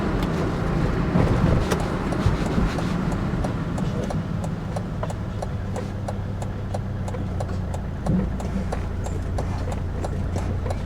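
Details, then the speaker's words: 2003 Volvo XC90 D5 while braking after stripping and cleaning the front calipers: steady diesel drone with no brake creak, pedal feels firmer. "No, I'm not hearing any creaking. The pedal feels a lot more positive actually as well."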